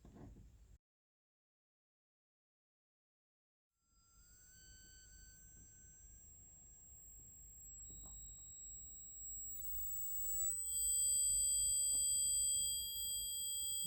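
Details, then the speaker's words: Renault Spider indicator reminder (tell-tale) speaker being tested for fitting, since the car has no audible indicator tick or self-cancel; thin, high electronic tone steps in level and pitch, one tone piercing, next lower, volume set by trim pot; buzzer sounding as it should. "this one here is piercing so i think that one's a no uh and then this one here is a lower tone"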